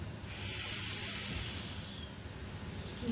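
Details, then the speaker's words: Rotary evaporator with rotation stopped and the vacuum turned off: a sharp rush of air hiss swells and fades within about a second as the vacuum is broken; a normal vacuum release before removing the flask. "Turn the thing. Break the vacuum, right? And listen very carefully. You'll hear a sound."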